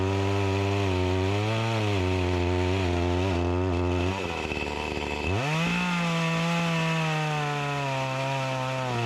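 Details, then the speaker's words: Echo CS-352 chainsaw that starts then dies, cutting wood; screams at high revs, then sags and labours in the cut before climbing back; not getting the gas it needs, lacking power, bogging under load from fuel starvation. "that's a positive and a negative side this isn't getting the gas that it needs it's lacking the power"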